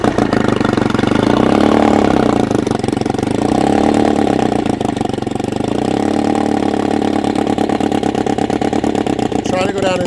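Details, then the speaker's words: Old two-stroke outboard after replacing obsolete ignition coils with cheap substitute coils and new plug wires, 20:1 SAE 30 premix, choke down: fires up and holds a fast, steady buzzing run, no misses; sounds good, though no cooling water seen exiting. "It sounds good."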